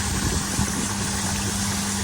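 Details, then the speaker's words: Oase drum pond filter running its cleaning cycle after being switched off for about 20 seconds and back on; the error code had cleared. Constant, even pump hum with a steady mid-pitch tone and rushing water, no knocks or grinding. Normal cleaning cycle. "to 20 seconds, turn it back on again, and then let it go through the cycle of cleaning, and then if it comes back up with the error code, you know you've got a problem."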